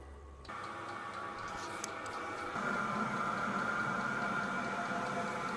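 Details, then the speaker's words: New Vevor diesel heater just fired up on its first start after priming: a steady fan hum with a smooth combustion roar building underneath. The heater is burning cleanly and running normally. "You can hear the combustion already taking place. The pump just came on. Fired up. Shortly, we'll be having heat pumping through the front right here."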